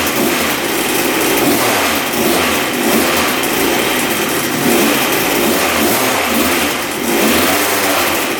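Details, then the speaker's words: 1986 Yamaha YZ125 two-stroke barn-find dirt bike, previously bogging with no power, after fix: fired right up, crisp note revving up and settling cleanly without bog or misfire, not smoking excessively; normal running. "That sounds pretty good. not bad. Fired right up. Sweet. This thing's running good."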